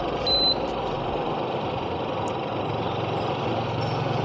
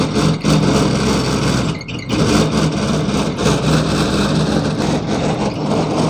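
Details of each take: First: Evaporative air cooler fan after repair: a short beep, then a steady, even rush of air from the blower, no knocking; loud noise was caused by the squirrel-cage fan slipping freely on the motor shaft. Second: Evaporative air cooler run without water, fan speed adjusted: loud rough rushing roar with low hum; fan wheel slipping on motor shaft.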